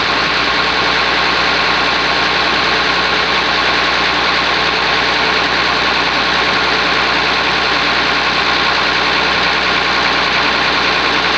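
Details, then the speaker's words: Oliver 1850 diesel tractor right after a genuine cold start at about 45 degrees, preheater uncertain: even clatter holds a steady idle, no stumbling or knock. Normal cold idle. "yes this will be a genuine cold start I don't know what it's going to do we'll find out"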